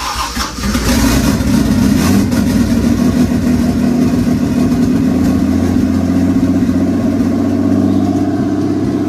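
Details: Toyota 2JZ engine swapped and self-wired into a car unused for 10 years, started after pulley timing marks were realigned and the distributor refitted; brief crank, catches within a second, then settles into a steady, even idle with no miss or knock.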